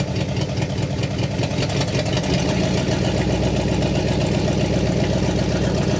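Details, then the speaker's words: 1960 Pontiac Catalina 389 V8 sat since 1985, now fed from a boat tank via electric fuel pump: steady, even V8 idle, smooth low beat, no misses or knocks, no fuel leaks, exhaust sounds good; dwell still far off. "there we go she's idling no fuel [Music] leaks exhaust sounds pretty good"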